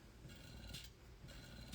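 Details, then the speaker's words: Luna breast pump, older model, in pumping mode: soft motor hum with faint rhythmic whoosh about every half second; slight vibration, nearly as smooth as the Spectra; normal pump running. "So, it still has some vibration to it. It's It is almost equal in the smoothness of that needle to the Spectra."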